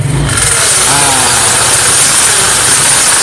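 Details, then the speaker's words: Yamaha Mio carburetor scooter idling: steady metallic hiss and scrape from the CVT side, because the kickstarter lever no longer returns fully and its pinion rubs inside the CVT case while the engine runs. "pancalan buat ngengkol nya itu opo yo yo sudah enggak bisa balik sempurna Makanya kalau mesin hidup ini menyentuh di dalam sana nyentuh akhirnya menyetel pas bunyi"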